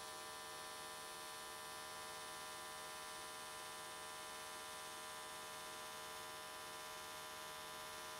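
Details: AC TIG welding aluminium S13 catch cans, vertical welds, after switching to square wave: steady, even electric buzz without crackle or sputter, arc definitely more stable than before.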